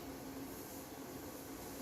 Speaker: i'm gonna put that hissing back let me put my gain back up